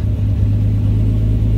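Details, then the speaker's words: R33 Skyline GTST turbo six after carbon cleaned from idle air control valve, fixing low idle and 16-18+ AFRs: deep steady low rumble with even beat, no stumble or dips; normal idle. "oh we fixed her boys that's all it was it's a bunch of freaking carbon man that's all it frickin was"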